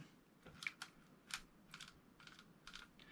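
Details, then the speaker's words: Silstar Edge 70 saltwater spinning reel, 4.0:1 gear ratio, after added grease and oil: light crisp uneven clicks about two a second, anti-reverse dogs engaging normally by gravity, much quieter but not perfect. "you can hear the inner reverse dogs actually already working better CU it just gravity alone okay that is a lot quieter not perfect"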